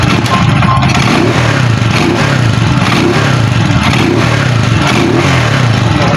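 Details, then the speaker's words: Euro 150 motorcycle that was misfiring, after the local spark plug was replaced: pulls up and holds revs with a steady, even firing beat, no stumbles or pops; revving now good where it misfired before. "gumanda kanina pag ginaganon natin mapalya na."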